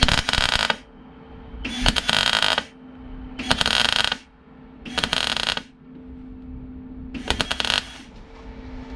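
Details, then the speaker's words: Welding on a Rover P6 after turning the power up: repeated even, crisp crackling bursts about a second long with pauses; steady welding arc, though the weld is blotchy. "Let's go for a bit more power. Oh, that sounds good."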